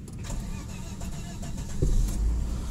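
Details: 1995 Volvo 960 Royal 3.0 automatic, about 152,484 km: short starter whirr, then the engine catches and settles into a low, steady, even idle with no knocks or misses; engine smooth and stable, only ABS light stays on.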